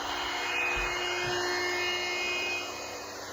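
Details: Old Radio Shack 12-467 AM radio held near a 110 V outlet in an off-grid solar cabin: hissing white noise with a steady buzz on top from dirty electricity, fading about 5 ft from the outlet.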